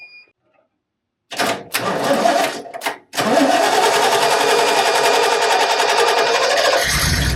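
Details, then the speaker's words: 1989 Ford F150 fuel-injected, 61,000 miles, sat over 20 years, clutch down, lots of starting fluid: starter cranks in short bursts, engine catches and runs a few seconds then sags away. Fires briefly but won't keep running. "Oh, yeah. Come on, baby. That was definitely a fire that time."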